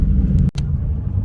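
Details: Ford GT40 engine in Nautique boat, fuel pressure holding after revving to 4,000 RPM and returning to idle, before heat-soak test for surging and dying (later traced to low pressure fuel pump); steady, even low rumble: normal idle.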